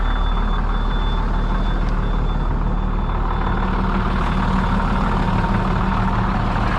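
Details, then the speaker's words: DT466 diesel in an ambulance conversion, cold start at about 32°F after sitting about three weeks, glow plugs cycled first. Steady, even, deep idle with a faint high alarm tone over it. Burning clean; normal cold start idle. "and we'll give her a cold start she didn't start about three weeks i don't think there we go fired right back up"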